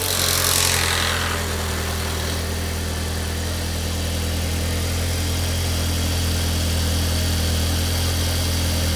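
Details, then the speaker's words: 2004 Audi A4 Avant 1.8T after cam cover gasket and spark plug replacement and recent oil change: steady even idle with smooth low drone, no ticks, knocks or stumbles; slight smoke from spilled oil; engine running healthy. "Running okay. That noise you may have heard is because I also changed the oil recently, and some of the oil went down into the flag, so a little bit of smoke here."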